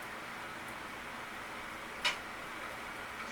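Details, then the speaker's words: Twin Star 23EF020GRA electric fireplace heater, brought in for not heating; the fan motor was seized, and after cleaning the motor shaft and bearings it runs with an even, steady airy whoosh, just a faint tick at start-up. Normal fan operation after repair. "Il fait un petit peu de bruit quand il part, mais c'est tout. Tout est beau."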